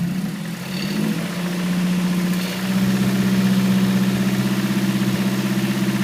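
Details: 2008 Mazdaspeed3 (MS3) engine climbing from idle with a light, quick rattle on acceleration; owner hears a knock from the valve cover, definitely not injectors, cause unclear.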